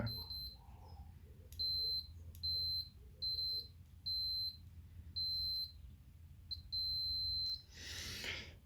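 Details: Logitech G910 keyboard with keys that double-register or fail, tested with a continuity beeper: the tones cut out and double mid-press. Intermittent key switch contact.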